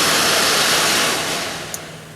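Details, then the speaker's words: 1983 Mercedes-Benz 240D HVAC blower, Volvo blower motor now run by a generic DC motor controller replacing the faulty resistor: smooth rush of air fading steadily as fan slows, no ticking, scraping or buzzing; variable speed works from none to full power. "so I can turn that on all the way from basically no power to full power and I am really happy with this"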